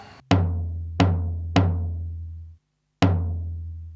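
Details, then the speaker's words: Roland D10 synthesizer during the PCM sample test after restoration work on corrupted, digital-distortion-like noise. Crisp drum hits with full low thump and natural decay, no crackle or dropouts; sample playback sounds normal. "sounds pretty [Music] good so with the noise I can't really tell whether there's any difference between that and the way it was before but the other three certainly are fine"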